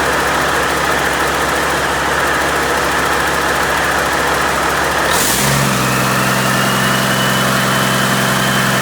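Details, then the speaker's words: Freshly overhauled Caterpillar C-15 diesel after its first start: a deep, steady, even idle with no knocks or vibration and good oil pressure. It is a normal, healthy idle. "okay well didn't throw a rod through the side got pretty good oil pressure um everything sounds good no vibrations no nasty noises"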